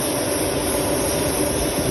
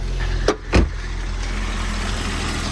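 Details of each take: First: Volvo leaking coolant on the way to its MOT: loud, steady pressurised hiss of coolant spraying from a cracked hose over a faint engine rumble, then it cuts off; the coolant tank is being replaced. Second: Volvo after a new coolant tank and cap, with no warning lights on: after a couple of thumps it settles into a steady, smooth idle with no misses, ticks or rattles.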